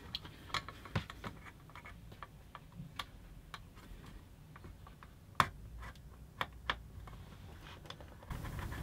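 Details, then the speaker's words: Eaton AFDD test, heater on at full power: irregular sharp snaps and ticks from arcing; the device did not trip. "another thing here though but there was definitely some arcing going on in there the thing is not tripping heaters on at full power"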